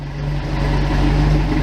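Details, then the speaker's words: 1987 Toyota pickup, 22R-TE turbo, warmed up about 3 minutes: low idle around 500 rpm with a faintly uneven, loping pulse; rough idle, cause not pinned down. "has a almost a bit of of a like a loping sound to it you know you can see there has RPMs they it's right there at 500"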